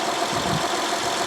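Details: 2012 Honda Odyssey 3.5L, 141,000 miles, codes P0303 cylinder 3 misfire and P0420, started after swapping plug and coil; slightly uneven, stumbling idle with irregular exhaust beat; misfire followed to cylinder 4.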